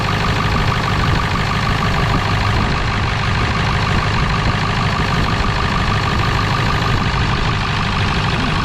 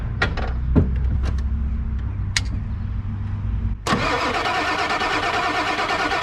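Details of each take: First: 1997 Ford F250 4x4 with 7.3L Powerstroke diesel, revived after not running: loud steady diesel clatter ticking over evenly at idle with no misses or knocks; runs healthy despite a big fuel leak, probably at the petcock valve. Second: Non-running 1997 Ford F250 7.3L Powerstroke diesel that sat for a while, cranking slowly with sharp irregular clicks before catching; owner suspects injectors priming, source of clicking unknown.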